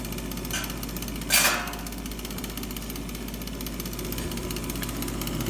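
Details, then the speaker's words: Old Bryant furnace inducer motor assembly, noisy for years before replacement: steady motor hum with a rough rattling edge and one sharp knock. "I've been dealing with this noise or like I said a full years just been living with it we realize it was going to be so easy to fix"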